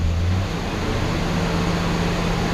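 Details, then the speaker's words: 1966 Ford Galaxie 500 V8 after Pertronix electronic ignition replaced arcing points and the carburetor was adjusted: light throttle off idle, smooth with no misses or stumbles. It previously missed badly off idle and ran rough. "now when you give it the gas a little bit of gas it's as smooth as can be"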